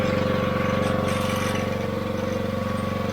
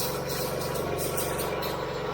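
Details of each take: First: Newly replaced AR45 pressure washer pump and gearbox (after leak at 14 months), came pre-lubed; running with no leaks and no funny noises; even engine drone with steady rapid pump pulse, no knocking or grinding, normal operation. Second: Gas engine pressure washer after AR45 pump and gearbox replacement, both water inlets open: steady engine with an uneven fluttering pump pulse from air still trapped while priming; air in pressure washer pump.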